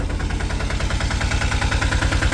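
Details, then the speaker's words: Diesel autorickshaw engine idling in the morning after heavy rain. The intermittent, skipping beat changes to an even, continuous beat of about eight pulses a second with no misses: normal idle. "ഇപ്പ കണ്ടോ ഇപ്പോ ആ sound ഒരുമാതിരി continuous ആയി ഒരേ beat ആയി അതായത് ആ വിട്ട് വിട്ട് അടിക്കുന്നത് മാറിയിട്ട് ഒരേ ഒരു സ്പീഡിൽ ഇപ്പോ നമ്മുടെ വണ്ടിയുടെ എൻജിൻ അങ്ങോട്ട് സൗണ്ട് വരാൻ തുടങ്ങിയിട്ടുണ്ട് കേട്ടോ"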